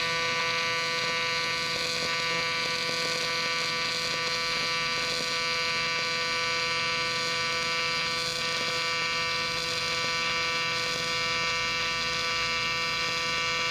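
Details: Miller Dynasty 300DX AC TIG welding aluminum during a practice session: a steady, even, high-pitched buzz with no sputter or crackle; a normal, stable AC arc.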